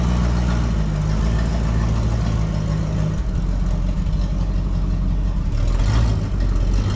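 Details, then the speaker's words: 1973 Thunderbird car, running during a cooling system flush: deep, loud, rumbling exhaust with a hollow roar at idle; the muffler sounds blown, and the filter appears clogged again. "Sounds like our muffler's blown out too."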